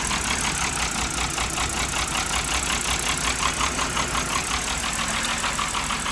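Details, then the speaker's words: BMW 5 Series, just started after many failed cranks, with codes and a low-coolant warning: steady idle with an uneven, loping pulse of about three beats a second, not firing evenly, cause not confirmed. Rough idle. "But finally runs. The car runs. Unfortunately, set this down real quick. It doesn't run the smoothest, which is fine. But it starts."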